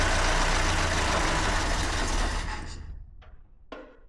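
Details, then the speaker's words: Fire-damaged 1969 Ford Escort MK1 van, crossflow engine, carb primed, choke worked by hand, coil on direct 12 V, not in gear: steady cranking churn, no firing. Fuel pump delivering no fuel, so crank no start. "Why isn't that fuel pump working? Let's get you off of here. With no fuel coming up. None whatsoever. That fuel pump is not working."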